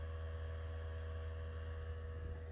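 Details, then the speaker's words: Drop-damaged PlayStation 4: a steady low hum with a thin constant whirring tone from the disc drive, an abnormal noise. "so as i said this is exactly the same console you'll hear that weird noise from the disk drive"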